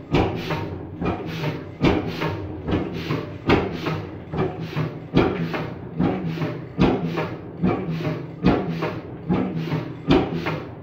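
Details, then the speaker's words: 1928 Beijer 13hp two-stroke hot bulb oil engine, 10.4L, 210mm bore, 300mm stroke, injection pump tuned right down: slow regular thumps every 1.5 seconds, piston bouncing on compression and firing without turning over; zero-rpm running, normally 400rpm. "this can be done if you tune your fuel pump down so much that it's just firing so little that it ain't gonna be able to make a full turn so zero revolutions per minute running an engine"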